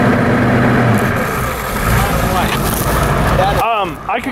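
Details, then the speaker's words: 1990 Ford F-Superduty naturally aspirated 7.3 IDI diesel revved to about 2000 rpm: revs rise flat and lumpy, uneven beat, little power, poor throttle response, as if on half the cylinders. Misfire; bad injectors suspected, water got into fuel. "could kind of hear it that was too Grand and it did not sound like it was running at two grand it sounded like it's running on like half the cylinders no I think uh it probably has a couple bad injectors"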